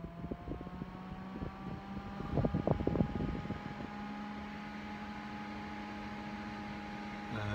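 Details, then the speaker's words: Threadripper PC on an Asus Zenith Extreme motherboard with only two RAM sticks in the first two slots: quiet clicks, then fans spin up to a steady hum as it boots past the memory check; normal boot. "so now we're booting up"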